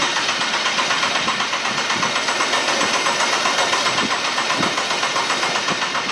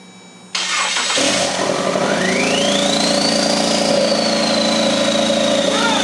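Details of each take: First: RWD Ford Fusion with swapped EcoBoost engine, first start attempt on factory harness: cranks better on jump box but still no start; no fuel delivery with quarter tank, many throttle pedal codes, oil in cylinders; fuel pump relay later jumped. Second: Ford Fusion converted to RWD with EcoBoost swap, engine on stand in bay using factory harness, jump box and charger attached, oil in cylinders; short crank then catches and runs steadily, whistle rising with revs: first start.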